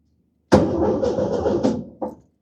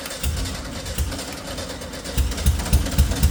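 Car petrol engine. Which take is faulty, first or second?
second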